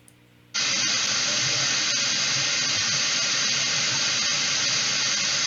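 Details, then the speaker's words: Beelink GTI mini PC (i5, 16 GB DDR4) recording through its two built-in microphones: a loud, steady hiss switches on abruptly and covers everything; noisy built-in mic audio, cause not found. "So I thought, okay, maybe I can correct it. I'll just use the two microphone microphones that are built in. And here's what I heard when I did that."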